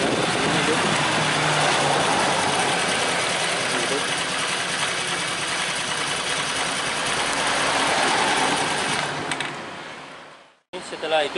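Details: Honda Vario 110 carbureted scooter, earlier hard to start after ignition parts were replaced, now fixed: a quick catch on the kick, then an even, fast putter holding steady before cutoff. Clean normal idle; charging checked normal at 13.2 V.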